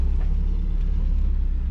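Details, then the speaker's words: Mazda Miata after shifter rebuild: steady, even low rumble at idle with no tapping or buzzing; no rattle left, normal idle. "oh yeah that should be good and oh yeah no rattle no nothing"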